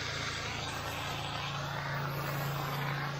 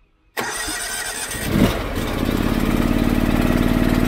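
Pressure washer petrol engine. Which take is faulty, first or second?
second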